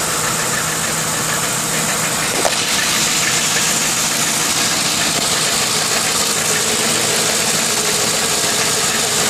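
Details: 2002 Lincoln Town Car V8 idling with light, irregular hissy rattle around 200 a minute, gone when driving, no performance loss; cause found: failed driver's side catalytic converter, replacement stopped the knocking.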